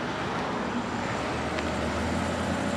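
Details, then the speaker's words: Vintage Westinghouse 30-pint dehumidifier rescued from dumpster, first test, cooling working; on low fan speed, very quiet steady whoosh with faint even hum, no rattles or scraping: normal fan running on low speed. "oh I can feel it coming out the side here that's really quiet quiet yeah oh yeah it works perfectly yeah"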